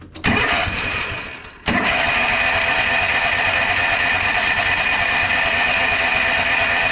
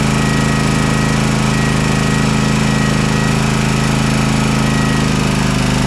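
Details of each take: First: Toro TimeCutter SS5000 zero-turn twin-cylinder mower (bogged and died under PTO load), test-run at no load with one spark plug unplugged: catches after a stumble and runs rough and lumpy on one cylinder, confirming that cylinder works. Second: Toro TimeCutter SS5000 zero-turn V-twin after repair, reassembled with plugs, top and air filter refitted: steady, even low drone with no misses, both cylinders firing, smoking as it burns off residue from the left cylinder that hadn't been firing.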